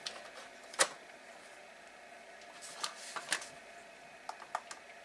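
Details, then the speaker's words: Atari SF354 Atari ST floppy drive after replacing its disintegrated belt: irregular sharp clicks and ticks as the mechanism tries to load. It powers up and the gear moves; cause of trouble unclear. "It is working though. It is powering up. You do see the power, and it is making noise. So it sounds like the gear is moving."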